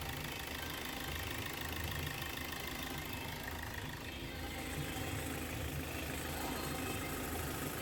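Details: 2015 Hyundai Verna Fluidic diesel after timing chain replacement for chain noise: steady, even idle with a light, regular clatter and no rattle or slap from the front; engine smooth and running well, normal idle.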